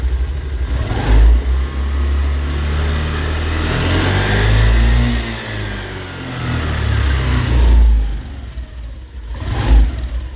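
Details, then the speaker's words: Honda Activa 125 scooter: the engine is revved, then the throttle is released, and a spinning, washing-machine-dryer-like whir remains as it slows. This is transmission gear whine on deceleration. "şimdi dikkat edin çamaşır makinesi kurutması çalışır gibi gelen bir ses var şimdi gaz verip yığdırma yapacağım gaz verip gazı bıraktıktan sonra o sesi almaya"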